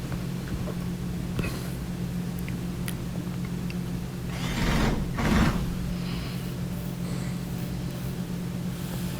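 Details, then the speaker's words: Dryer test run after putting a slipped-off drum belt back on: low, steady motor hum, drum turning evenly with the belt driving the tumbler, no slapping or squeal, one brief knock midway; normal drum rotation. "I'm going to give it a little test, and I can hear it spinning. Yeah, and the belt's still connected, and it's turning the tumbler, so we're all set."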